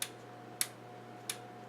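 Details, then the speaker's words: Kenwood TS-440 transceiver in test mode after solder reflow on its display and control boards; the display is stuck on all 8s. Four crisp sharp clicks in under two seconds over a faint hum: a rear relay switching correctly through the test steps. "Oh, okay, now you have to listen for"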